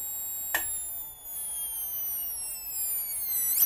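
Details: Magnavox MDR515H/F7 DVD/HDD recorder (July 2011), complaint of no power and strange sound: click, then a thin high whine sagging in pitch before a final click from the struggling switch-mode supply.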